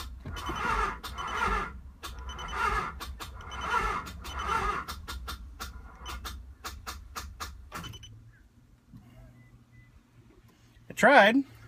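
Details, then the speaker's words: 1995 Nissan 300ZX revived after a crash, on a battery with about half the needed cranking amps: slow, labored, uneven cranking for about eight seconds that never catches, as the voltage sags. "not bad for uh half the cranking amps that I need yeah that's all she's got"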